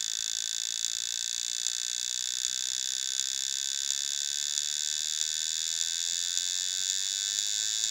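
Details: Old IBM 2.5-inch 720 MB laptop hard drive, dead. A steady high hiss with a faint tick about every 0.8 seconds repeats unchanged; the failing drive keeps clicking.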